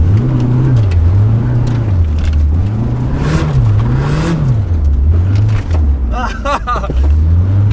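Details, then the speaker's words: K-series-swapped Mazda FD RX-7 driving at steady part throttle: engine note surges up and down about once a second as the car bucks through a dead zone that can't be tuned out; owner suspects the stock fuel pressure regulator, unconfirmed. "so there's this weird dead zone that I can't tune out and you see the car ran away bucks and I can't figure out what it is"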